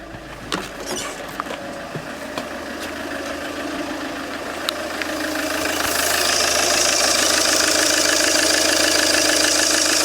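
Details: Peugeot 807 2.0 HDi 110 diesel at idle: a sharp, even tick of about 200 a minute before a loud hiss swamps it; engine knock, cause not pinned down.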